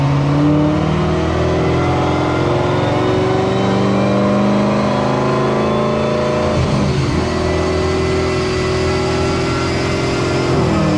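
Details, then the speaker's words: Chevrolet Corvette C7 Z06 on a dyno with methanol injection, after timing and fuel adjustments: hard-pulling engine climbing through the revs with a rough, uneven note under load; misfire, cause not yet pinned down. "so we adjusted some timing we adjusted some fuel it is having a misfire on the dyno which could be a number of things"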